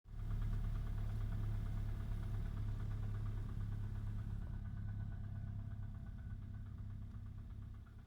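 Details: 2009 VW 1.4 TSI twincharged CAVD engine, cold start, new timing chain set and fresh 5W-40 oil: fast, uneven ticking knock over engine hum, fading as it settles; cause not pinned down.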